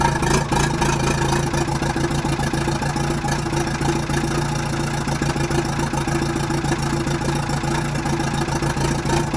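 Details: Telehandler started right up after the sparking battery terminals were replaced and the battery was charged; steady diesel idle with an even, smooth beat and no misses or knocks; the engine is running normally.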